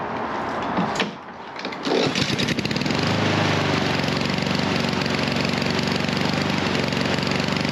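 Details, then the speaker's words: Husqvarna HU700F mower with easy-start auto choke, pull-started and held at full throttle; ragged hunting run that never smooths out, then dies; owner suspects auto choke system fault. "All right. And there it goes. That was full throttle the whole time and she just dies."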